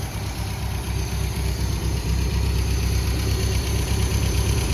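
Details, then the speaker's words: 1973 MGB sitting 20 years, idling after carbs balanced at eight and idle brought down: low, fairly even rumble building slightly and holding steady, no misses or knocks; smoke cleared, runs smooth, mixture may need tweak. "I think this thing is ready to hit the road test it out smoke has cleaned up no more of that it's just sitting here idling yeah it seems to be running really smooth"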